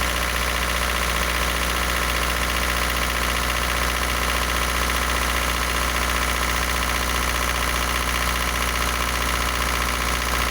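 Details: Isuzu NPR diesel after 11 years parked, bad fuel, cold at fast idle: loud steady run with light regular tap, like valve rattle, vanishing when warm. Rebuilt with new pistons, sleeves, valves; adjustment verified; suspected oil squirter, not confirmed.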